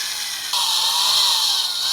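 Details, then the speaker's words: Drilling out factory ball joint rivets on a 2001 Dodge Ram 1500 (V6, 2WD), stepping up bit sizes: high electric drill whine rises and steadies as the bit cuts through; drill speeding up as load eases. "Okay, I can hear the drill laboring less."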